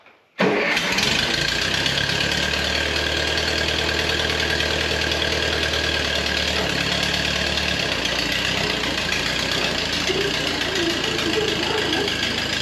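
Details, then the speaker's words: 1953 Ferguson TO20 tractor after Marvel Schebler carburetor rebuild, run from an auxiliary test tank; starts and settles into an even steady idle without misses or hunting, smooth. "it's running really good really nice and smooth"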